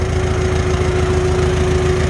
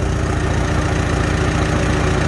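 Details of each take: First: Farmall H tractor during carburetor adjustment, mixture screw three turns out, at idle: steady beat with a thin metallic ting-ting riding above it; cause not pinned down. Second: Farmall H tractor after carburetor adjustment, back to idle at about 450 rpm on non-ethanol gas: slow, steady, smooth idle with no pinging or tinging; engine healthy.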